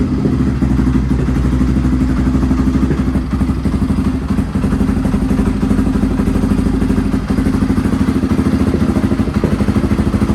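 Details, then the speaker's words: Restored Honda XR650R single-cylinder dirt bike, first run after years unused, started in a cold workshop after heating the inlet manifold (kill switch not working): steady thump about three beats a second, loud exhaust pops, no mechanical clatter, healthy idle; tiny oil and water leaks noted. "okay so i'm really happy to hear it that's the first time i've ever heard this bike and the engine sounds quiet the exhaust sounds nice"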